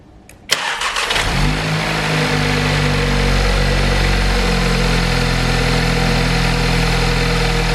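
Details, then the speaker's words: VW Golf R engine swapped into an Audi S3, brief test start for five to ten seconds before coolant parts refitted: cranks briefly, catches cleanly, steady even idle with no knocks or misses; normal start and idle. "well the engine ran really nice and smooth then um so gamble has possibly paid off"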